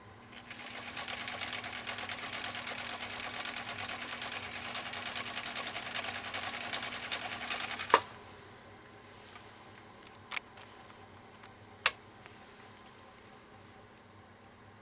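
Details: 1962 Husqvarna Viking Type 21E (previously dropped and repaired) sewing a large zigzag on slippery polyester ribbon with upholstery thread: quick, even stitching clatter for eight seconds with no knocks or binding, then a clean stop. It sews smoothly.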